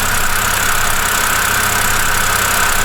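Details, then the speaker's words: BMW E90 N52/N51 engine after replacing the alternator: steady, even idle with a belt-driven hum and no knock, squeal or pulley wobble, charging system working; normal idle. "so everything seems to be in our ship shape belts are good tensioner is good the alternator is spinning and there is no wobble of the pulley so i guess the issue has been resolved"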